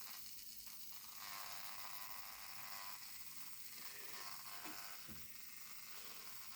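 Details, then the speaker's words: Heljan Class 17 model locomotive that stopped in a puff of smoke, on the test track: thin, uneven high buzz with the motor barely turning. Lights work, burning smell; judged the usual Heljan motor burnout. "the lighting's working though so I think yeah the directional lighting is working it's just the motor just the usual Helen motor blowout there's quite a smell of burning coming off it"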